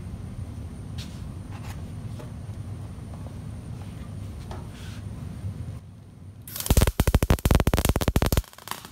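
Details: MIG welder set correctly, final section of plate welded with nothing changed: a quiet hum, then a two-second burst of loud, far-apart, uneven pops instead of a bacon-frying sizzle. The bead sits on top, and the arc is unstable.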